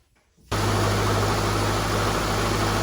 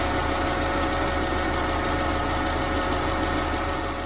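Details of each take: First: 2005-2009 Subaru Legacy after power steering pump replacement: starts instantly and settles into a smooth even idle with a steady low hum, no whine from the new steering pump. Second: 2009 Subaru Legacy 2.5L SOHC non-turbo with a recently replaced rack and pinion. Steady idle with a constant thin whine: power steering pump whine, suspected from a previous owner running it dry of fluid.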